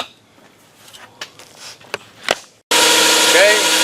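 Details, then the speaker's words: 2008 Nissan Xterra with 300K miles, just after new NGK iridium plugs and plenum gasket: after a quiet stretch the engine catches and holds a steady, even roar with no misfire or tapping, sounds healthy. "sounds great, runs great."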